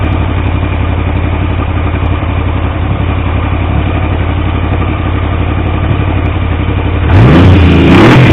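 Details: T150V triple after head and cylinder rebuild to cure oil leaks: even steady idle with regular low beat, crisp rev blip at end; oil pressure about 70 psi revving, 40 psi under 2000 rpm; normal running, no leaks.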